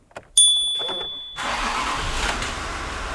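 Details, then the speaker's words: Rebuilt 3.0L TDV6 diesel in a Range Rover L405, first real start after a rebuild for a knocking engine with metal in the oil filter: brief crank, then it catches cleanly at once into a smooth, even idle with no knocking. "Wow. Sounds so nice. Oh my god. Wow. This is amazing."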